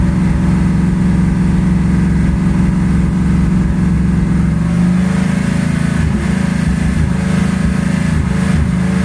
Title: 1984 Ford Mustang 5.0 Ignition system primary circuit failing , causing misfire